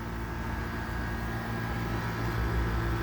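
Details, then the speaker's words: Air conditioner running for the first time this summer, now seated properly after sitting wrong had made it noisy; a steady low hum with a light, uneven rattle, the water splash quiet, running fairly quietly and nothing alarming. "a little rattly but it's pretty quiet see it's pretty small this is big higher unit even the water splash sound is quiet"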